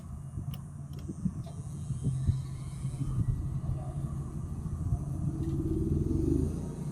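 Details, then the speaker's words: Onboard generator on a Coachmen Freelander Class C motorhome, started by holding the start switch while the light blinks. A low rumble builds as it catches, then settles into a steady hum rising to running speed; a normal start. "You see the light blinking, you hear some sound, you just keep pushing it until it starts. Sometimes it goes fast, sometimes it takes a moment."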